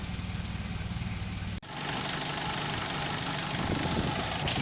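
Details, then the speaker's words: Petrol car, AC vacuum idle-up actuator working, pulling the throttle: steady, slightly raised idle without dips or shaking; owner notes the fix lacks a cutoff, so idle stays high even with AC off. "ครับทำงานแล้วครับมันมาแตะที่ตัวคาเร่งแล้วครับก็คือมันจะดึงคาเร่งไว้ครับให้รอบมันสูงไว้ครับ"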